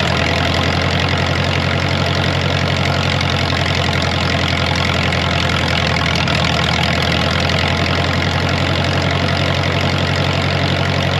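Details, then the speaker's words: Ditch Witch R40 with Wisconsin V4 after the Hot Spark electronic ignition conversion and a new ignition switch: an even, low idle pulse that shifts slightly as the distributor is turned back and forth to correct off timing by ear, with no timing light. "let me try that again listen to this whoa I know that timing's off I'm gonna move it okay let me try this to move the distributor"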